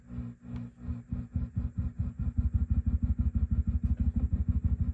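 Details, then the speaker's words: Swart AST Pro tube guitar amp (new tubes except one old Sylvania): low thumpy pops pulsing about three times a second with silent gaps, tremolo-like; suspected power tubes, most likely a bias setup issue. "kind of thumpy. Could be the power tubes."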